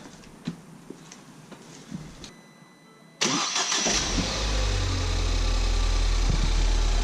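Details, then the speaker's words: Crash-damaged Ford Fiesta ST bought from auction, oil and coolant checked, no leaks: brief crank then clean start into steady even idle, no ticking or misfire; engine judged fine despite front-end crash damage. "Sounds good. Sounds really sweet. They're usually a bit ticky. That sounds really good to me."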